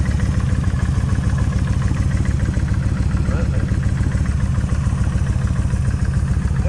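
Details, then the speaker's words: Kawasaki Vulcan 1600 at about 69,045 miles on original cam chain adjusters, during adjuster work: loud steady V-twin idle with a light, even top-end tap on each firing beat, from the front cylinder; owner unsure if it will go away. "okay they just a little bit of a tap right in here that's okay maybe it'll go away maybe it'll stay I don't know"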